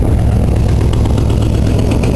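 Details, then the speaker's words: Cold Oldsmobile V8 just started, idling deep and lumpy with faint irregular pops: exhaust leak at rear of head from broken manifold stud plus a rough-running valve, owner believes cylinder 7; not always running on all eight. "got the cold light on now you can hear that kind of that um popping noise that's a combination of an exhaust leak and that that valve is running a bit rough on I believe cylinder number 7even I can't quite"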